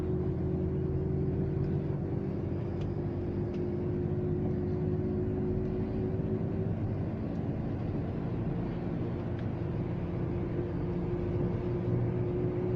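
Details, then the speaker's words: Front wheel bearing hum on a Volvo S60 T5 while driving: a steady low drone under road noise, louder when turning right and fading when turning left, so the left hub is suspected under load. "При повороте направо больше гудит, значит левая ступица."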